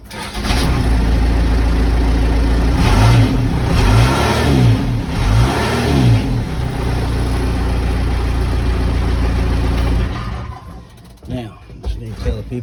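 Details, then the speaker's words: Case 580 Super L diesel backhoe after running out of fuel, refilling and priming: engine catches and settles into a steady low rumble with clean throttle blips, then shuts down; running normally. "these things don't run on air they run on fuel"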